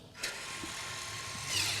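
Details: Tesla Model S rear subframe electronic parking brake, both calipers applied together from a keyboard via a custom USB board: a short, high whirring motor buzz, even and free of grinding or clicking. A normal apply.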